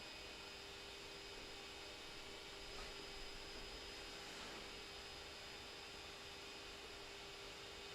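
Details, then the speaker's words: Creality Ender 3 S1 3D printer during preheat: part cooling fan and extruder fan both at 100%, constant airy hiss with steady high-pitched whine like a small jet, no speed change; loud cooling fan noise. "both fun has kicked in now you can hear that's highly pitched noise from both fans it's like a small jet"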